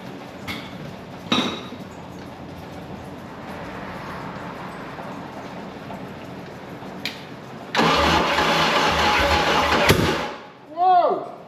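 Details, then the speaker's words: Stuck Mercruiser 3.0L marine engine with cleaned points: starter cranks steadily, then the engine catches roughly and stumbles out; misfire from spark plug wires connected backwards. "whoa oh there had the spark plug wire backwards"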